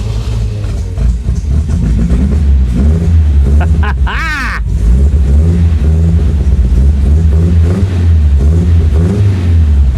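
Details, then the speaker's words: 1975 MGB that sat about 16 years, first start after a carburetor leak fix and overnight battery charge, no clutch: low engine note pulses unevenly and stumbles at idle instead of holding a smooth beat; not running well, rough running. "boy well she she's not running well"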